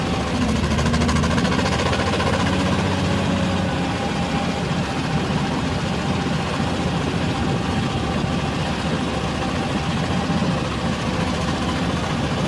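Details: R480LC excavator diesel at idle: uneven stumbling beat with irregular knocks, one cylinder misfiring from a faulty injector.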